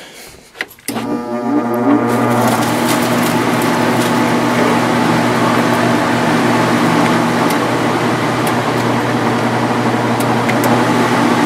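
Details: 1995 Sharp window air conditioner (8,500 or 10,500 BTU), just cleaned and reassembled, the 10,500 with new bearings, clicks on and settles into a steady, even hum with smooth fan rush: normal start-up and run.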